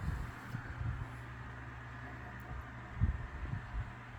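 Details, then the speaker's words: Lasko 3150A 12-inch oscillating table fan, circa 1980-81, oscillating after being turned back down toward low. Quiet steady hum with soft, irregular low thumps as the head swings: oscillation knock from fiber washers worn by heavy use, a common age issue. "seems like the fiber washers have been worn quite a bit from use that's why you hear the knock and sound while it oscillates that's the only issue with these as they age"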